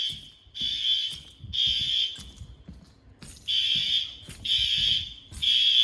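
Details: Fire alarm test at pull stations in an old 1948 school: loud high-pitched buzzing horn pulsing on and off about once a second, clear and strong; sounders working normally.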